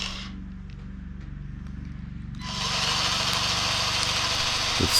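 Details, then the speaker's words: Vevor cordless grease gun, freshly charged, bleeding out air and old grease: a thin motor buzz pulsing about three times a second turns louder and hissier partway through, and the sound differs clearly between air and grease. "It takes a few seconds, and you can hear a clear difference in the sound when there is air and when there is grease."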